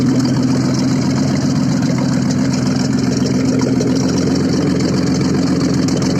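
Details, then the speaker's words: Audi engine started after repair, running with no exhaust fitted: loud open-pipe idle with a steady, even beat and no knocks or rattles; normal idle. "работает без выхлопа."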